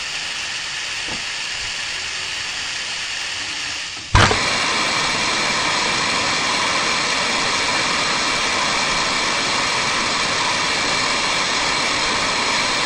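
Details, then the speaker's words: Ford F-250, engine off, cylinder pressurised with compressed air through the spark plug hole to hold valves closed before head work: sharp pop then loud steady hiss as air leaks past an open valve into the intake manifold. "I'll turn this back a little bit until those valves seal up again and just still pop up out of there"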